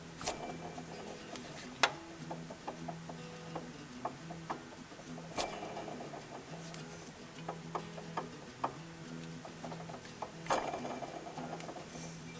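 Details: 2010 Nissan Sentra at idle: light irregular ticking and clicking over steady engine hum; owner says AC compressor bearing is going bad; water pump seems fine.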